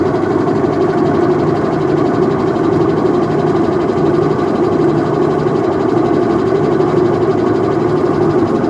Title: Whirlpool Top Load Washing Machine Helicopter Sound Problem | Washing Machine Noise Issue